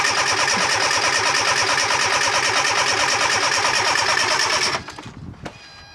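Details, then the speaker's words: Fiat Panda 4x4 project with swirl pot and newly filled injection rail, clutch pressed: steady cranking about three beats a second for several seconds, never firing; smells very fuelly, owner suspects swirl pot needs topping up, injectors suspected not firing. "smells very fuelly why won't it run"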